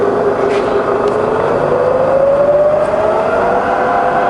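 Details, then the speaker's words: Bridgeport milling machine, variable speed head, 42-inch table: spindle in reverse around 60 to 20 rpm range, clean gear whine changing smoothly with speed, no grinding or clatter; running great. "to 20 all running great right back to high range"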